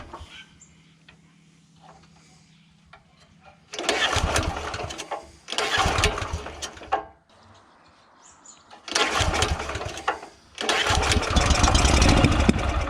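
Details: Honda GX340 petrol engine on an auger, after throttle linkage adjustment: fires and runs a second or two in separate bursts, dying between tries; spark plug carboned up, gap okay; hard starting and stalling.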